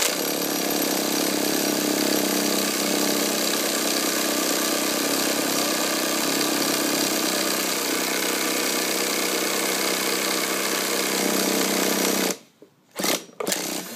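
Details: Hobbyking 1/5 scale nitro bike after clutch spring ends reconnected: high buzzy steady spin for about twelve seconds, never catches, then cuts off; clutch/drivetrain still jams at low speed, cause unconfirmed.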